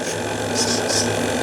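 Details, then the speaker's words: RC live steamboat (Lechalas launch): steady raspy buzz with faint whine from a servo that won't find its neutral; owner suspects the neutral point, may replace the servo. "Je sais pas lequel c'est, mais alors il faut que je trouve celui qui grince. Vous l'entendez, ça c'est pas bon du tout ça."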